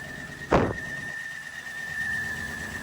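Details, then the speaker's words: LS-engined Saablazer SS, jump-started with jump boxes after sitting, alternator working hard. A thin, steady high-pitched squeal holds over the running engine after a single thunk. Squeal after jump start, source not pinned down. "yeah old Dusty Baker KN knock knock knock alternator working extra"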